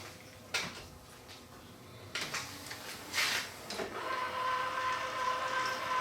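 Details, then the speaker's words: Yamaha CDC-S90 CD player from an RX-S70 mini system after fitting a new tray belt: small clicks and thumps then steady faint motor whir; tray opens and closes smoothly with plenty of torque, normal. "open and close okay another belt in there see if this one will work Yep this one works fine got lots of torque to pull it in"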